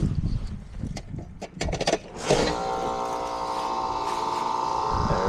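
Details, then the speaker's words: Heil heat pump outdoor unit, new OEM warranty condenser fan motor after the old motor's bearing failed; steady, even hum after a few clicks, drawing 1.11 A against a 1.4 A full-load rating; normal condenser fan running. "we go. Sounds happy. Amp this fellow up. 1.1 1.11 amps."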